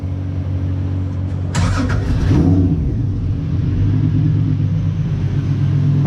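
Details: Turbo Honda V6 rail buggy, first start after clutch repair with new throwout bearing and motor reinstalled: steady idle, short throttle blip rising and falling cleanly, no knocking, grinding or stumbling.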